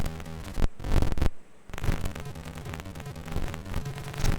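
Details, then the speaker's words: FPGASID chip in a Neo 128, its bus clock shifted two buffer gates down: the music still breaks up with harsh crackle and static and cuts out, getting cleaner but still scratchy. Distorted audio from bus clock timing. "two gates down still sounds like crap starting to clean up a little getting there still a bit [Music] scratchy"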